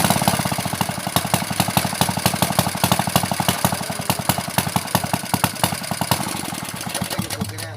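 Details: Honda GX160-powered water pump engine recovered after overnight flood submersion, first test after cleaning: loud, rapid, sharp popping exhaust beats, slightly uneven; rough raw note from a broken muffler, running slightly unstable, carb still needs adjusting.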